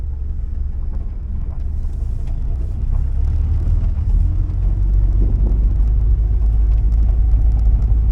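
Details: 1979 Porsche 924 road test after fuel system cleaning, a new fuel filter and an alignment: deep, even engine rumble building as it pulls away, with no knocks or rattles. Oil pressure and charging good; idles at about 800-900 rpm. Power noise judged normal.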